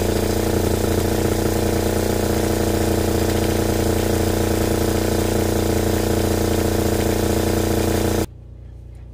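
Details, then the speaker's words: Fischer Panda 5k diesel generator on a Grady White 330 boat, after replacing failed throttle actuator and reprogrammed boost board (previously stuck at idle, about 90 volts); steady even drone at 120 volts, no misses, then cuts off; normal run. "you can see we're running we're at 120 volts"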